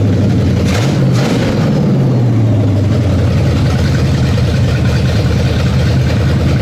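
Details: V8, down over a year, first start after quick initial carb and timing tune: brief rev then settles to steady idle, no knocks or misfires; running fine.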